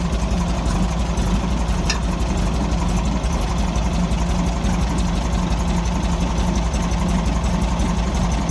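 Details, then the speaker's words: 1964 Volkswagen Beetle with backfire, after plug change and fuel filter relocation: low, uneven lumpy idle with stumbles; owner suspects the left-side carburetor not getting fuel, causing the rough running. "so I have a feeling that that side is not getting fuel that's why it's running so rough"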